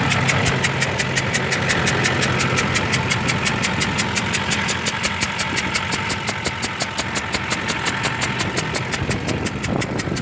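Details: 2005 Duramax LLY diesel at idle: sharp, even clatter about three knocks a second with hissy, puffing exhaust-like undertone; owner suspects bad injector(s) or leaking exhaust manifold; won't exceed 60 mph, knock louder, black then whitish smoke, coolant fine.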